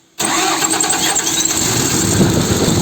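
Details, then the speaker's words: Diesel forestry machine after repair of engine blowing air back out through the air filter and a knocking noise: cranks, catches at once and runs steady and even with no knocking; normal start and idle. "tá vendo aí onde tá o b equipamento liberado funcionou"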